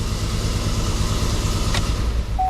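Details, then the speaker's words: Freshly installed 5.3 V8 with DOD/VVT delete, new intake and MSD plug wires, first start before tuning, hood open: deep idle with uneven stumbling beat, misfire; owner suspects a plug wire problem, scanner later shows random misfire. "Uh-oh. Got a misfire happening. I have a plug wire"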